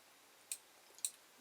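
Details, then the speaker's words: Creality Ender 5 Plus 3D printer with ring fan duct mod, carriage moved by hand to end stop microswitch: two sharp, light clicks about half a second apart in quiet room; end stop switch clicking normally. "as i move it over listen you hear the end stop why and stop clicking that"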